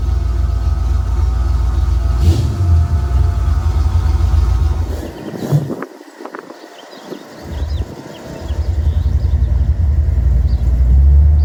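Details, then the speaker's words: Cold start of a 1991 Ford Mustang LX 5.0, rebuilt 306 with E303 cam, Edelbrock 1406 carb, BBK long-tube headers, H-pipe, Flowmaster Super 40 mufflers: lumpy V8 idle with cam chop, a quick rev dropping back to steady idle; healthy. "This is cold start. It's got the Flowmasters on it."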